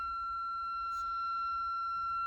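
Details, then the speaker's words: Kenwood TS-430S ham radio on a 10 A, 13.8 V supply via a cheap connector, ungrounded: a steady high-pitched, siren-like electronic tone with faint hum on power-up. The cause is unknown. "Why is my Kenwood TS-430S making this sound when I power it up and turn it on?"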